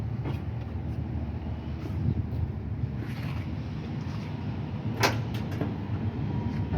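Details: 1976 Ford F-150 with Motorcraft 2100/2150 carburetor, air cleaner off, just started before idle mixture screw adjustment with vacuum gauge: steady low rumble, even unhurried beat, no knocks or misses; vacuum fairly good; normal idle.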